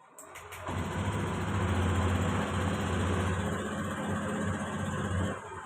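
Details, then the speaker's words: Fuel-injected motorcycle that stumbled and stalled on its own, after a manual ECU reset (jumper wire, mode 1): it catches quickly after brief cranking, idles smoothly, responds to quick throttle; problem resolved. "ini sudah langsung responsif ya Jadi untuk masalahnya ini sudah teratasi ya"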